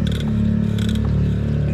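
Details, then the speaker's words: Steady low electric motor hum with uneven scraping rattles when turning; motor has power but won't work because its carbon brushes are worn out, motor to be replaced. "So naubusan ng carbon itong motor nito. Yan may tumutunog pag iniikot."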